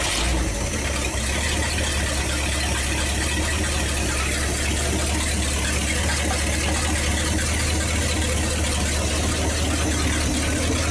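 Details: 1956 Studebaker Golden Hawk at start-up after fuel lines were hooked up and it was weaned off the bottle, with water and antifreeze added and no leaks seen: an even, steady low rumble with no knocks, ticks or misses, a healthy smooth idle.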